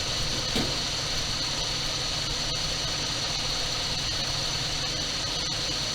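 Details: 1978 Dodge D200 crew cab, 318 V8, abandoned 17 years, sold as having a broken crankshaft that clattered badly. At first start on gas dribbled down the carburetor it idles smooth and even with a steady low rumble, no knocks or ticks.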